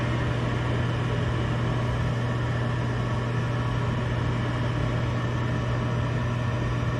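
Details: Gas furnace at first start-up on the new control board: the draft inducer runs with a steady, even motor hum and constant low drone, no rattles or surging, before the igniter and gas come on; normal inducer operation.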